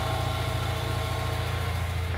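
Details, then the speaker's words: VW Jetta Mk3 (A3) at idle after installing the fan belt so both fans work: a steady low hum with an even whoosh as both cooling fans spin and wind down, not noisy. "miren ya están girando los dos ventiladores todo jala súper bien se escuchan bien No se oye ruidoso"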